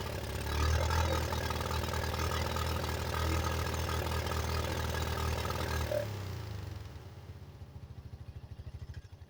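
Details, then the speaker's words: 1985 Yamaha Moto 4 on its old carburetor, warmed up and on choke: idle runs unevenly for several seconds, then sags and the beats slow and spread out as it nearly dies; old carburetor blamed, to be replaced. "It might sound like it's running right now, but it's not. It's moody. See, it's trying to cut out and everything."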